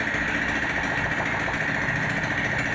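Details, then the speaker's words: 2021 Honda Scoopy after engine rebuild with crankshaft (kruk as) replacement: smooth, even idle with a steady light buzz, no knock or clatter; bottom end sounds healthy. "Nah itu motornya sudah hidup"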